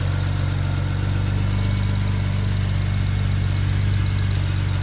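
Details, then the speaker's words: 2008 BMW 535xi at idle during a used-car inspection: a steady low idle with a light, quick tick about four per second, heard mostly at the rear exhaust; exhaust tick, source not pinned down. "and this is the exhaust in the back you can't hear that kind of ticking noise here mostly back here"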